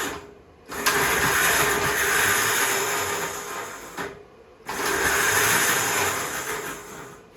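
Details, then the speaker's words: 1958 Gravely Model L walk-behind tractor, long stored outdoors, engine not seized, magneto clicking but no spark seen: two bursts of steady whirring spin, a few seconds each, no firing; starter clutch sticking and slipping. "Clutch is sticking."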